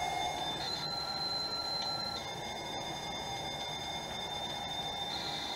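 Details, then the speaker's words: Amstrad CPC 464 built-in tape deck (DataCorder) after repair, servicing and azimuth calibration: clean steady high squeal of the leader tone, then warbling data tones over light hiss as a game loads normally. "and there we go we're loading guys so what i'll do now um is i'll let this go"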